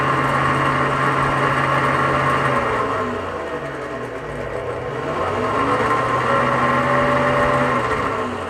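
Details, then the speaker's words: AC condenser fan motor runs with a steady electric whir and a wavering metallic ring that swells and fades; the bearing is very likely worn out and may let the fan wobble. "If you listen carefully, you could hear a metallic sound. And lastly, when a fan is already making that noise, there's a very high chance that the bearing is toast."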